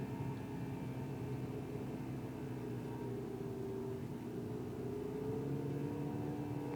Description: Buzzing sound at 2k rpm and it's not the infamous wastegate rattle - Golf GTi Mk6 2012.